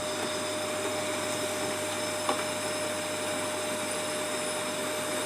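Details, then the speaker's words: Prestige induction cooktop, previously dead with no lights, after repair, heating water at up to 2000 W: steady fan hiss with a fixed high coil whine and no rattles or buzzing, running normally at full power. "देखिए आपको दिख रहा होगा पानी में कुछ ना कुछ हलचल हो रहा है। और ये घाबन उड़ भी रही है। बिल्कुल देखिए तुरंत गर्म हो गया।"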